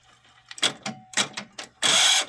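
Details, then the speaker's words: Sony stereo cassette deck with tape previously caught and pinch roller pulled out: sharp mechanical clunks and a thin squeal as rewind tries to engage, then misfires straight to fast-forward. "those my ears you can hear that squeal so obviously it's miss something that something in there is misfiring you can hear two squeal it tries it wants to go and read whine but at the same time it misfires and goes straight to fast-forward"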